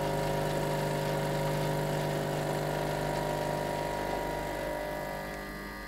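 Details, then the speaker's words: Blue Pod LB4100 Clara coffee machine backwash with blind pod handle and Espresso Clean, repeated cycle: steady buzzy pump hum softening as it pushes against the blind basket; normal pump backwash cycle. "Push the button again. Again you'll hear the pump go quiet."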